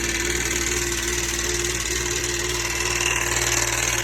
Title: 2009 FX Nytro engine knock (counter balance bearing failure)